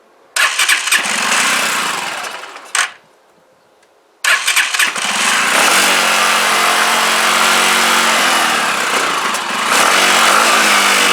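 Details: CPI SUV125 scooter first start after carburettor strip, clean and rebuild, choke held by hand, carb possibly empty; catches, dies after two seconds, restarts and settles to an uneven wavering idle with blips; not yet clearly sorted.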